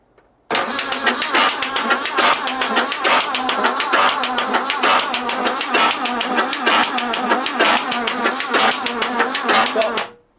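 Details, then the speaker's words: Barn-find BMW E12 M535i, untouched 30 years, cranking with the cam cover off: a steady beat about once a second with sharp metallic smacking from the top of the engine, not the starter. Valves are suspected dry and sticky, lagging the rockers with the springs slapping the rockers. "it felt more like The Rocker was moving and then the spring was following it right smacking up the back of the rocker right I'm just wondering this is just purely lubrication that the valve's just a little bit sticky"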